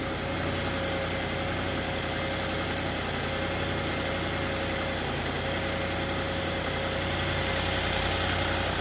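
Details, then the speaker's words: Audi S6 (C7) 4.0T twin-turbo V8 just started after installing ECS Tuning turbo inlet pipes for Stage 2. Smooth, even idle with a steady low burble and no knocks, ticks or hunting. Normal idle. "But so far, it sounds really, really good."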